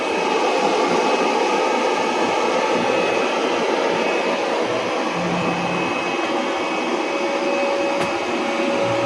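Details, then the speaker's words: Hybrid solar inverter's cooling fan running normally: a constant airy whir with a faint steady whine and no rattle, under about 500 W charging load. The fan is louder when charging at high solar harvest or from AC mains. "Ito po 'yung umm tawag dito ingay nung inverter."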